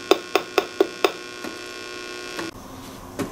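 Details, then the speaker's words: 12AX7 preamp tube in a D-Lab Micronaut II microphonic analyzer; five quick taps each leave a hollow ringing tail over a steady hum; microphonic tube with loose internal elements. "I can hear it, but the scope did not detect it. Let me see. She's got some loose elements in there."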